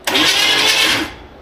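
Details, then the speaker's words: 1957 Chevy wagon, believed 327 V8, sat for years and thought stuck; starter spins it quickly and evenly about a second with no thud or binding, motor turns over freely, not seized after all. "that was easy I don't know why I didn't do that in the first place I was fully expecting just a big old thud"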